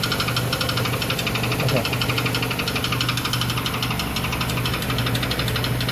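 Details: 2006 Chrysler Sebring at idle: sharp metallic knock about three times a second from under the hood, quite serious, traced by the shop with a metal probe to a cracked flexplate.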